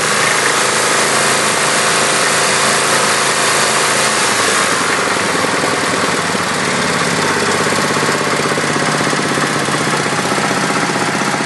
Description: Kohler K321 in John Deere 314 recently rebuilt, but makes a rattling sound and misfires occassionally